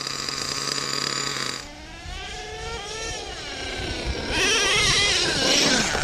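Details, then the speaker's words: Used Redcat Earthquake 3.5 1/8 nitro truck, .21 big block: small engine revs unevenly and bogs when the throttle opens, needle at about 2.5 turns out; owner plans to lean it with a pinch test; bogging from untuned low-speed needle. "I'm at about two and a half turns out right now and seems to be running okay it does bog down I know you saw that in the video and that's okay"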